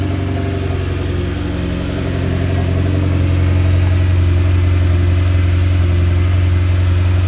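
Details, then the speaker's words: Mitsubishi Evo X at idle after an ACT clutch replacement, suspension reassembly, belt refit and Cosworth air filter swap; even idle rhythm steps up slightly with a light throttle blip and holds steady, no knocks or rattles; normal idle. "I'm gonna start it up in a few, you know, just to make sure everything's alright."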